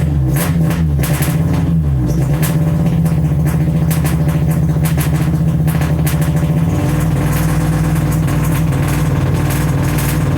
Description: Test start and poor response ultimately traced to MAP sensor and intermittent #4 injector.